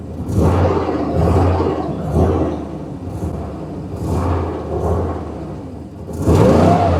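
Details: 6.0 V8 from donor Sierra being test-run before swap into 1955 Chevy 3100: idle swells and sags roughly every second, never settling; hunting idle, cause not confirmed, poorly plugged connections suspected.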